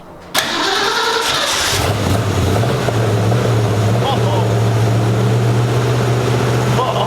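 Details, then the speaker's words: 1965 Mustang carbureted V8 cold start after new 2.5-inch dual exhaust: cranks, catches, low lumpy uneven idle, oil smoke off pipes; idle not quite right, later traced to misrouted PCV. "But it sounds good. It sounds like a car. We got to work on the idle. The idle's not quite right, just with this carburetor and everything."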